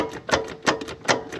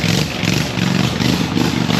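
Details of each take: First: Hustler Z zero-turn mower after engine swap and rewiring (fuel shut-off solenoid unplugged after blowing 30 A fuse, safety switches bypassed): sharp repeated clicks about three per second, no cranking; starter engages but doesn't spin, cause unconfirmed. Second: Hustler zero-turn mower with swapped V-twin engine, new carburetor and fuel system, no exhaust yet: loud lumpy open-pipe rumble with uneven firing, settling into a rough but steady idle; running with open exhaust.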